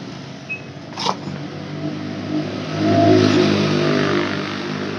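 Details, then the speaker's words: Yamaha F1ZR two-stroke motorcycle that won't reach full throttle: revs climb briefly then drop and fade instead of winding out; suspected end-of-range shortfall; throttle hesitation at high rpm. "ini kondisinya yaitu gasnya tidak bisa habis gas artinya pada saat dia juga sementara meninggi dia malah malah turun apapun begitu"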